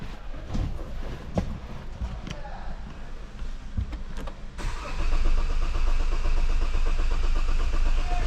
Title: 2016 Tivoli 115345 148,972 km Diesel Engine no start